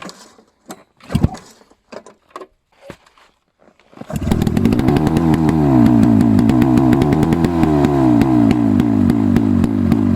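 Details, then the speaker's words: Rusty Hirth 440 two-stroke snowmobile engine (for a 1972 Snowjet), with swapped parts, a weak magneto ignition and temporary fuel feed; a few pulls, then it fires and settles into a crisp even two-stroke rattle, running normally. "Fucking hell. She's done. She runs. That's the we could call it the end of this video."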